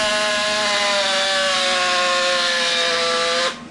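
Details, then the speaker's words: Power drill damaged while installing a Harley valence: a high, buzzy, harsh motor whine whose pitch sags before cutting off. It sounds like hell and then starts smoking; new brushes and a rebuild are likely. "it sounds like hell, and then it starts smoking. So we'll probably have a rebuild video of this in the future."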